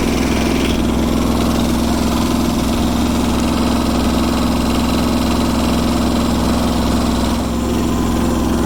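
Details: Kubota G4200 garden tractor diesel, first start on blocks after restoration, with the fuel system redone and bled: a steady, even idle with a firm low beat of about 300 per minute and no knocks or misses; it runs healthy.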